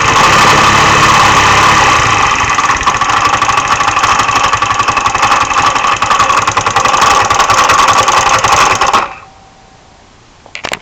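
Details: MD 150T-6 GY6 150cc scooter idling until shutdown with a light, fairly regular internal clatter or knock near four beats a second; no power loss, clutch, variator and belt ruled out, no metal in oil.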